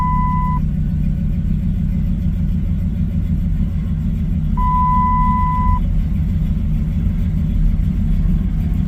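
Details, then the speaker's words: 2007 Dodge Ram 1500 HEMI idling rough after new upstream O2 sensors, before replacing the downstream ones. OBD showed O2 sensor faults and the check-engine light is on. Deep, uneven, lumpy idle that never settles; cause suspected, not confirmed. "I'm going to get in the truck and show you how how it's just not operating very well um got to climb up in it there we go it's just running rough"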